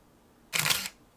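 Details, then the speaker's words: Nikon F301 film camera, self-timer fired with the beeper switch turned off: single short mechanical shutter clack with no beeping, only the light flashes; silent self-timer shutter release. "Et si on désactive du coup ce petit levier, il va juste faire la lumière,"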